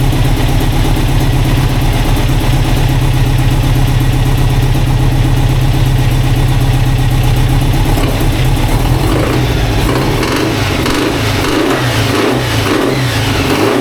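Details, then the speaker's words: Turbo VW Beetle project engine after refuelling (had run out of fuel): smooth even idle about eight seconds, then clean revs rising and falling without misses or knocks; runs well, though an oil pump fitting is leaking oil. "Anyway, I've got oil on my foot, but it's running and it sounds good."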